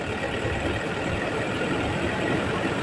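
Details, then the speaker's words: Toyota Innova/Fortuner/Hilux diesel engine, still cold, held at 2000 rpm with AC on after replacing the pulley; even steady roar, no roughness or rattle; the previous harsh noise at 2000 rpm is gone. "jadi bunyinya sudah halus gas n tahan r000 kita gas tahan di 2000"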